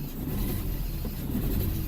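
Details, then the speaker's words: Toyota Echo with codes P0301 and P0300, engine under brake-torque load: low uneven drone with a lumpy stumbling beat, a cylinder 1 misfire traced to the ignition coil, with water getting into the spark plug wells. "I'm not sure if the camera can pick that up Allah it's really rough okay I think the spot is okay the problem is in the coil"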